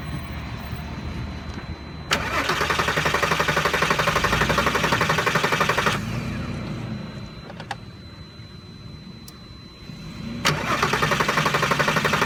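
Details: Volkswagen R32 after fuel injector replacement: starter spins the engine in steady bursts near four compression pulses a second, never catching or firing; crank-no-start, owner suspects the fuel pump, not confirmed.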